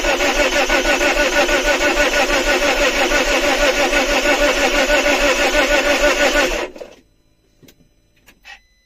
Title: Alfa Romeo 159 won't start